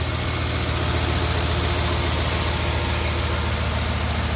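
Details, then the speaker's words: 2008 Ford Expedition 5.4L 3V V8 after timing chain job and earlier VCT solenoid replacement: smooth, even idle rumble with no timing chain slap or cam phaser clicking; normal idle. "so as you can hear it's a lot smoother sounding"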